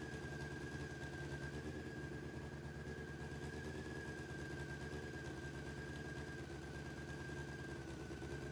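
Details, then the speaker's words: Honda CBR600F4i with 64,000 miles, first run after reconnecting the bank angle sensor, running on all 4 cylinders, headers hot: smooth, steady engine note with a faint constant whine and no knocks or rattles, fine for its mileage. "Doesn't sound too bad for having 64,000 miles on it. So now just checking, it's definitely running on all 4 cylinders, and you can tell from the temperatures they're all pretty hot."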